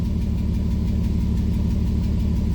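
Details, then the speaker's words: 2001 Mitsubishi Eclipse that had set a cylinder 4 misfire code, idling with injector 4 disabled as a test: low, uneven, lumpy putter with a recurring skipped beat; it runs normally again once the test ends. "you could probably hear it puttering around, and now it's back to normal since I got out of that test."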